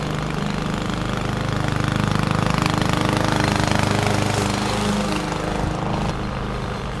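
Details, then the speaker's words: 21-inch Husky push mower (11A-B2M7031), Powermore OHV engine, fresh oil, started first pull: steady, even single-cylinder drone holding speed as the blade swishes through grass while mulching; healthy. "no issues to report it started first pull and had absolutely no issues mulching the lawn"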